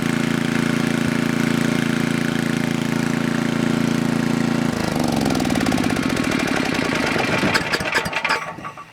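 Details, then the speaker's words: Coleman Powermate Maxa 5000 ER generator after draining the carburettor and adjusting the bottom fuel mix screw: a steady, even governed drone that winds down smoothly at shutoff. It is running normally. "Alright, there is nothing wrong with this machine anymore. It was just the fuel mix screw on the bottom."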